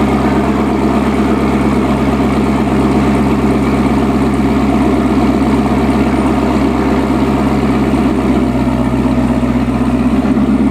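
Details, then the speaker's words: C7 Corvette ZR1 V8 after a check engine light saga: deep, steady idle with an even beat and no stumble or skipped firing. Not missing, no check engine light, no misfire heard. Normal idle. "Seriously though, guys, we're about to jump in the car, take it for a spin. Everything sounds good. It's not missing. There's no check engine light. There's no misfire that I can tell."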